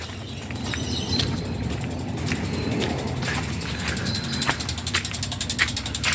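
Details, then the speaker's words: 2007 Isuzu FRR34/500 truck with 6HK1 diesel, key on, engine off, idle-down button held two seconds after fuel filter change: sharp even injector clicks a few times per second while bleeding air from fuel system. "Make sure your dash lights on and you hold this bottom button down the bottom here that idle down for two seconds and you'll start hearing the tap. It's clicking."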